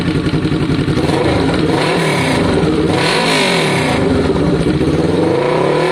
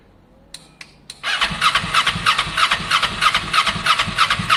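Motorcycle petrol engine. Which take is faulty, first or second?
second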